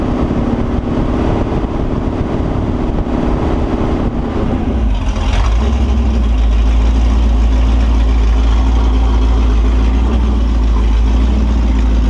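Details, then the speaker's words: Holden 355 stroker V8 on a bench test stand, new engine for an HQ Holden (flat-top pistons, Sig Erson TQ30 cam, HEI, Edelbrock carb, Aeroflow single-plane, 9.5:1), bedding in cam and lifters: rough revving at first, then a deep, steady, even idle with no knocks or misses. Oil pressure is 30 psi at idle, no leaks; healthy. "well there you go she's sounds all right seems to go all right doesn't seem to be leaking anything I think she's good to go"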